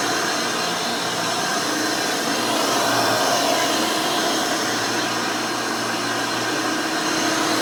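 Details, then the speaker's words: Rebuilt Hoover Elite 600 upright vacuum with a new 7 amp motor and a retrofitted 20-blade fan impeller: steady, even high-pitched whir with no rattle or scrape. It runs smooth and fairly quiet, much like the original 6 amp motor. Normal running. "very nice runs very smooth it's fairly quiet this new 7 amp motor with the 20 blade fan almost sounds like the original 6 amp that was in this"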